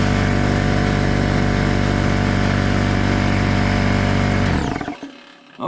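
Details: Craftsman oilless air compressor after a new drain valve was fitted: a loud, even motor-and-pump drone at constant pitch for about 4.5 seconds, then a clean wind-down; healthy.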